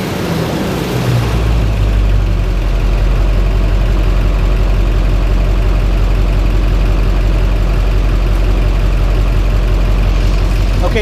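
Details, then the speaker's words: Modified Duramax diesel idling after a short rev blip, with a faint, quick tick over the low rumble; owner suspects an exhaust leak at the up-pipe rather than an injector, not confirmed. "if you kind of hear it tick tick tick tick tick tick tick not the injector coughing injection an exhaust leak guys from the up pipe so not very happy"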